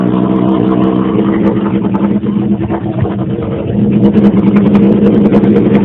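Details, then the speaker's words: 2001 Honda CBR929RR with Black Widow exhaust, tuned without a muffler, warming up before an oil change; loud raspy open-pipe burble with an uneven lope at high warm-up idle; normal cold-start warm-up idle. "I'm going to fire it up, let it warm up, and then I'm going to drop the oil."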